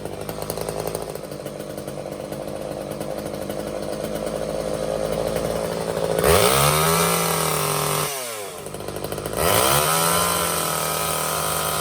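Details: Old Craftsman chainsaw after Walbro carb clean/rebuild and new fuel lines, jets opened up, half choke: raspy two-stroke buzz holds steady, dips briefly twice and picks straight back up, burning old oil from exhaust; normal running.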